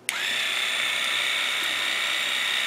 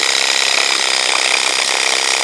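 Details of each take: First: WaterPik WP-360 after lubrication, original batteries kept: steady, even high-pitched pump hum for about three seconds with no stutter or rattle, then shuts off; normal pump running. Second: WaterPik WP-360 water flosser, tired with low pressure, pump seems to stall: fast rasping buzz from the plunger pump, labouring and uneven as if about to stall; likely a dry plunger needing lubrication, lubricated unit runs better.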